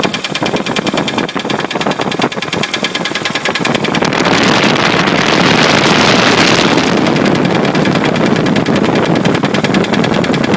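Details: 1966 Studebaker petrol engine running with a sharp, repeating knock about three raps a second, partly buried when revved; cause unknown.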